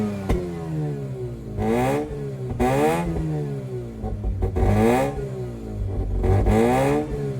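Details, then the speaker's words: 2004 Mazda RX-8 track car with makeshift intake manifold, just started after sitting, very hot day, exhaust manifold, mid pipe and exhaust fitted: engine speed swings up and down every second or two, exhaust sagging; will not idle, wants to stall. "It will not idle. It wants to die if I let it go slightly. Well, instead of me talking that it's gonna die, just hear how the exhaust sounds."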